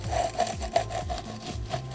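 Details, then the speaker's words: Jeep 4.0 clutch job, old clutch release (throwout) bearing spun by hand: gritty scraping rumble each turn, totally worn out, compared with the new super-smooth one before replacement. "if you guys can hear that that one is just totally worn out the new one here just super smooth"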